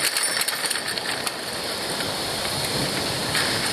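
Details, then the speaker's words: Folding recumbent bicycle ridden on a trail, camera on the front main frame tube: scattered short creaks and ticks over wind and tyre hiss from the frame pivot joint moving slightly despite tightened, greased bolts. "bike is a a folding recumbent bike which unfortunately means that there's a joint where two parts of it pivot and even though I've got the bolts cinched down really tightly and I've got grease in that surface there are still small little movements that happen between those two pieces which cause creaking noises"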